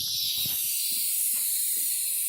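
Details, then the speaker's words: Two-stroke expansion pipe pressurised to about 80 psi and heated red with propane to push out dents: continuous thin high-pitched hiss of air leaking from the pipe, likely at the seam. "You'll hear like a big hiss if it starts to leak. I hear it. I hear a hiss. So it's starting to leak a little."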